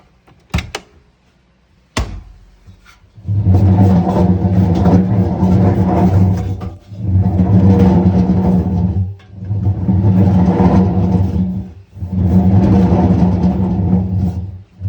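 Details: Zanussi Essentials 1600 front-loading washing machine: the drum rumbles loudly and deeply each time it turns. Worn drum bearings are suspected, not confirmed.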